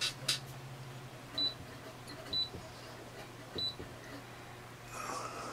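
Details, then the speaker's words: HYE Energy 1000 W 24 V wind turbine generating in about 20 mph wind with diversion loads working: short high beeps a second or so apart over a low steady hum; the wind-speed meter is chirping normally. "when you hear that real beeping sound on the that peepee that's here that's the the wind speed it's at 20 mile an hour"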